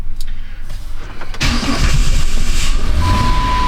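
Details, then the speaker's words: 2010 Chrysler Town & Country 4.0, cold restart: brief long crank, catches only with a little throttle, then a rough idle; hard start and running rich, likely from a skewed coolant temperature sensor making it think it's 17.6°F; strong fuel smell and many codes. "so that's why it's running so rich it thinks it's 17.6 degrees F outside"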